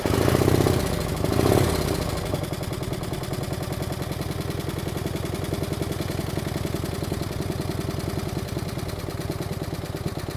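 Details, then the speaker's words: 1949 Harley-Davidson FL Panhead V-twin, cold-start idle: loping beats with a light, quick ticking. Tapping from the upper pans, suspected solid lifters; pushrods are to be adjusted. "cut a little bit of tapping noise out of the upper pans we're going to go ahead and adjust the pushrods sounds like it has solids in it"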